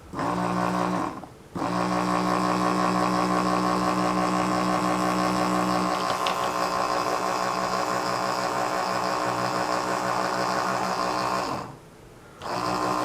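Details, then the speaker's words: 1994 Saab 9000 Mark IV ABS pump after new bearings and o-rings, motor back in housing with pump head fitted, run on bench: hum drops out, restarts and holds a strained labouring buzz; owner wonders if binding, judges it works. "i'm binding up okay i guess we can put it all back together now"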